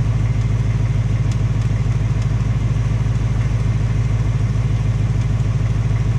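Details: 2018 Ford Mustang GT on its second engine with 1200 miles, quick regular light tapping about three per second over a smooth V8 idle; cause unconfirmed, piston slap or Coyote tick suspected; Ford installing a third short block.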